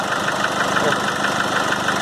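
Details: Nissan Frontier 2.5 diesel at idle: sharp, rapid, evenly spaced knocking rides over the diesel idle and keeps its beat; knock attributed to a burnt cylinder head gasket.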